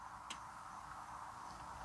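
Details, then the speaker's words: MINI Cooper with a crank-no-start and an already-replaced fuel pump, engine off, fuel pump actuation test from the DME: one sharp relay click and then no pump hum. The fault probably lies between the relay and the pump, a blown fuse. "I heard the relay. I'm not hearing the fuel pump. Stop. We can hear the relay."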